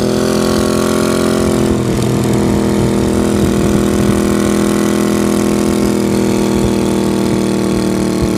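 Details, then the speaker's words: 1982 Honda GL500 cafe build just completed, 401 pod filters: on start-up a loud, steady idle with an even beat and no stumbling or mechanical noise; engine running cleanly. "let me fire it up a little bit here and then uh i'll show you what it sounds like [Applause] loving it let's go ride it"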